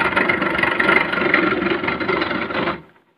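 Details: Portable air conditioner with a loud noise inside: a loud, rough rattling whir from the fan, traced to a worn motor fan bearing needing replacement.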